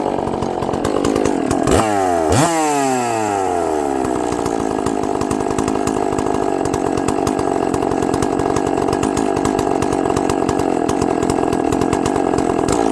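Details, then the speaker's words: Long-sitting chainsaw with good compression, after a little more fuel on the bottom carb setting: rises through a few sharp revs, then holds a high, even buzz without stumbling and runs properly. The diaphragms are probably hard from sitting, so it will need adjusting again. "well I guess it runs the only thing I had to do is give a little bit of fuel on the bottom"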